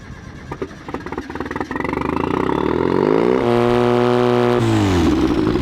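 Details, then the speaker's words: Cheap supercharged Mazda Miata drift car on a swapped engine, driving after a year of struggles: revs up with a light ticking near four per second. It tends to stall and AFRs stay good. Tick or knock, cause not pinned down. "There's a bit of a knock sound coming from there. Maybe there's there's some sort of a tick going on."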